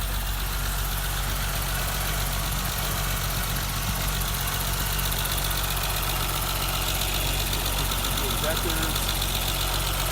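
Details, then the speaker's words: 1988 BMW 325 sedan, cold start warming up: steady, even idle with light quick injector ticking about four per second, temperature gauge rising; healthy engine. "Sounds pretty good. So here, I'll just wait for her to come up the temp a little bit so you guys can hear."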